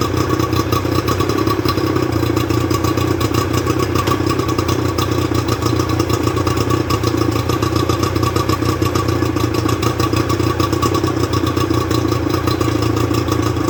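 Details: Johnson 50 HP two-stroke outboard on a Taylor 5.25 m boat, after rebuild, with thermostat fitted: a steady, even drone holding speed without misses or surging; running sweetly, normal.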